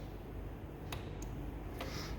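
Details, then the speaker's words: Volkswagen valve lift control solenoid removed and bench-tested on a 14 V power supply drawing 1.6 A, after the car boosted only half a bar and went into safe mode. This solenoid gives crisp, clean single clicks each time it is energized; the other solenoid does not actuate. "okay and you can hear it clicking this one it doesn't do nothing 1.6 amp but it's not clicking it's just aring even if I change the positive the negative it doesn't click it's not actuating"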